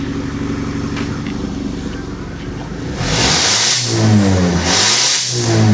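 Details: Turbocharged Audi A5 six-speed manual, just started after built-up debris blew out of a clogged catalytic converter: steady idle into two clean quick rev rises that climb and drop back smoothly; engine breathing freely.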